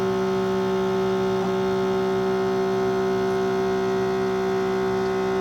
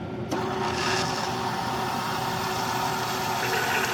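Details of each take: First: Keurig Mini K coffee maker: steady electric pump hum and buzz, but the brew stops before finishing, a repeated issue; owner resets by reopening. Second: Keurig Mini K coffee machine, after pressing the brew switch repeatedly until it engages: steady rushing hiss with bubbling as water boils in the head, meaning percolation is starting. Normal brewing.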